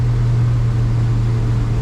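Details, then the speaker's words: 1987 Arima Seachaser outboard on a water test on a chilly December morning, trimmed down, running against the current at about 20–22 mph (planes at about 18). Steady, even drone with no hesitation: runs well. "there's no hesitation the motor motor runs really good"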